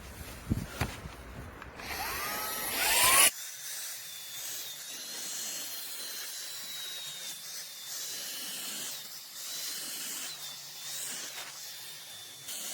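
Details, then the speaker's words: A Shark StainForce carpet and upholstery cleaner extracting from a wet car seat: a thin, high, wavering squeal over the suction hiss from the motor area. A badly glued magnet or a bearing inside is suspected. "Par contre, elle grince. Malgré qu'elle est mouillée, elle continue à faire des... Ça m'inquiète un peu. On dirait qu'il y a un aimant qui est mal collé à l'intérieur, ou un roulement."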